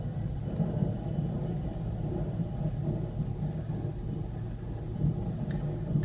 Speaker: hey guys this is Eddie and I just wanted to kind of show you what breaks when they're metal to metal and there's no more brake pad material left this is what it sounds like